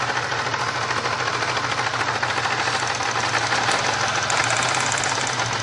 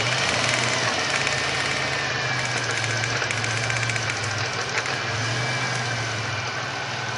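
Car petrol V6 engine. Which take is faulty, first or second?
first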